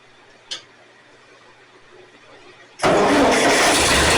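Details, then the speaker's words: Ford 2N tractor (serial believed 1946), unused for years, after cleaning the battery and pulling the air tube off the carburetor: quiet, then the engine catches abruptly and settles into a loud, steady, even run. Normal start and idle. "which I believe drives down to 1946 2 in and she's running there we go"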